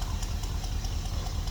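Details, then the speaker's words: '89 Suburban V8 idling through its newly installed exhaust, just started: deep steady rumble with slight throaty pulse, stumbling a little with some gas, no ticking or knocking; much quieter than before. "she lot quieter than before huh guys just uh give a little gas she's like she's stumbling a little now but kind of what you want"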